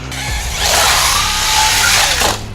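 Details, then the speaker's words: Traxxas X-Maxx RC truck, basher-spec, ramp jumping at 25% power with speed control misbehaving: motor winds up with harsh metallic rattling grind rising with speed; differential gears stripping. "Oh, the differential continues to die. Oh. That's what 25% power gets you."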